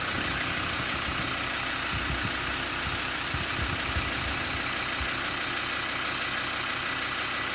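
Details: Land Rover Td5 diesel ticking over with a light, uneven clacking rattle riding on the idle; no clear cause from the sound alone.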